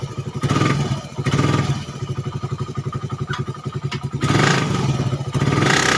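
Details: Suzuki Satria FU 150 cc after its wrongly set cam-chain top timing from another workshop was corrected, which had caused rough idle, harsh sound and high fuel use. Now an even idle putter and crisp throttle blips that rise and settle cleanly. Runs smoothly.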